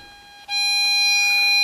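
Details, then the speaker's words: LM386N 0.5 W audio amplifier at 200x gain, loudspeaker output. A steady, harsh, raspy squared-off tone. Excessive gain is turning sine waves into square waves on the scope; the planned fix is about 50x gain plus a preamplifier. "this is very very bad so when you say this you can surely see that the amplification is far too high that means that sine waves are changed into square waves"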